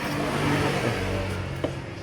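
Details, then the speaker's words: Kawasaki Boxer 150 whose original CDI failed, previous owner fitted a 4-pin CDI; engine runs but revs unevenly with a rough, stumbling note, weak pickup and a noise from the engine; misfire from incorrect CDI ignition timing. "umaandar naman siya kaso ah hindi makuha nung motor yung tamang timing nung kuryente ano. So hindi siya makahatak masyado tapos baldag yung andar. Yung alam mo yung umaandar siya habang may tumutunog sa makina ganon."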